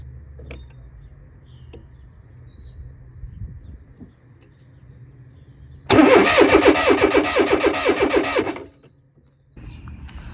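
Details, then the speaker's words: Non-running 1995 Fiat Tipo 1.6 SX with Gemini aftermarket alarm/immobiliser, spark plug removed to check: steady starter churn about two beats a second under three seconds, never catches; no spark, ignition and fuel pump get no power, immobiliser not suspected. "we have a ignition system that is not getting any power cuz there's no spark"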